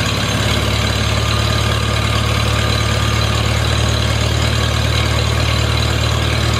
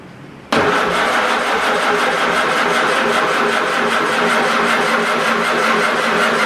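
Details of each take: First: Farmall Super A tractor, cool after sitting, starts after grounds and wires were fixed to restore spark: even, steady low rumble with no misses, knocks or hunting; smooth, healthy idle, owner thinks she'll run fine. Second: Farmall Super A with ignition grounds and wires reworked, cranking on ether: the starter churns at a steady pace for several seconds without catching; weak spark keeps it from firing.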